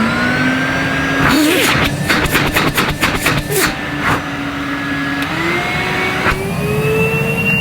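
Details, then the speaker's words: Numatic Henry 1200 W vacuum made 2006, unboxed factory-sealed after ~15 years, first switch-on at low suction setting: motor spins up to a steady, even hum with smoothly climbing pitch; strong suction, normal running. "wow henry you do have a strong suck on you don't you"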